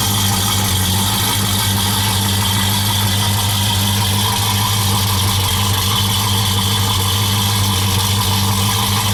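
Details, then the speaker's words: 1972 Oldsmobile Cutlass convertible after an engine swap, V8 idling at about 850 rpm, heard through new mufflers with oil pressure at 50 psi: even, deep, steady exhaust note with no misses; some belt slippage noted. "give it a start here see if it'll crank up get it idling about 850 rpm right now"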